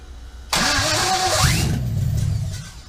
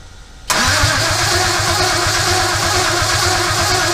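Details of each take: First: LS1 V8 in a 1965 Chevy C10 short bed project, first fire after days of wiring diagnosis, parts still unhooked; starter whirs, engine catches instantly and runs evenly about two seconds before shutoff. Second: 1965 Chevy C10 with an LS1 swap, first start attempt on a newly flashed computer that may be the wrong one. About four seconds of steady cranking that never catches; cranks but won't fire. Wrong ECU flash suspected, not confirmed.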